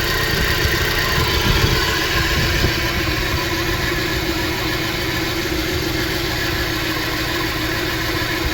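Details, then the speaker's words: 2013 Dodge Dart after engine replacement idling with an uneven, lumpy beat: code P0303; after swapping coils, misfire moved to cylinder one, coil arcing to ground instead of firing the plug. "and as you can see the misfire Trav the number one cylinder yeah there's something bad wrong with that coil"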